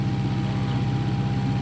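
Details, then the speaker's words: Restored 6.5 kW gas Kohler genset from a houseboat: deep even thrum with faint constant hum, holding speed; runs perfect, light on, output 127–128 volts, adjustable at the governor. "The generator just runs absolutely perfect. So it's got the light on, and here you can see that it's putting out 127, 128 volts."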